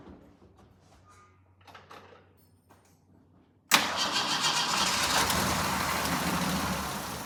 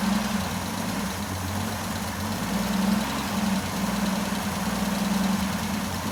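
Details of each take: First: Jeep J10 with rebuilt carburetor and refitted gas tank, cold weather: engine catches and runs a few seconds on a splash of fuel, then fades and dies; fuel starvation, no fuel reaching the pump, owner suspects weak pump. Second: Jeep J10 with rebuilt carburetor, about two gallons of fuel, oil pressure and charging voltage present, oil burning off: smooth, even low idle holding steady with no misses or knocks; normal idle.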